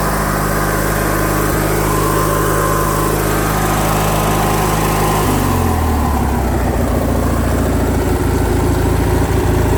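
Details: Craftsman lawn tractor with a Briggs & Stratton opposed-twin engine, just after a carburetor repair for surging, choke on and throttle at half: the engine settles from one steady speed into a slightly lower, even fast idle with no hunting or surging.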